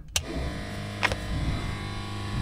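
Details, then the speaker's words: FV432 troop carrier tracked vehicle, batteries charged, power switched on before cranking: a couple of sharp clicks, gauges come to life, then steady low hum and faint whir of the fuel pump running; normal electric fuel pump run. "gauges come to life fuel pump's running"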